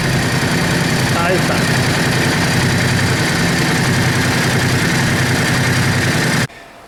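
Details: Yamaha Drag Star 650 V-twin after new intake boots, TPS adjustment and vacuum-gauge carburetor synchronization: steady, even beat holding strong and smooth, then cut off; sounds and accelerates much better than before; normal idle and revving.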